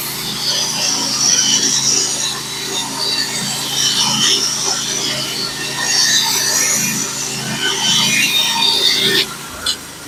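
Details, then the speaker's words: Norwood HD36v2 sawmill cutting 1x6 fence boards with a Stellicut band that has about a thousand board feet on it: steady even hiss and motor drone, cutting smoothly and predictably. "this band is really cutting great right now still it's cutting nice and smooth very very predictable good feedback"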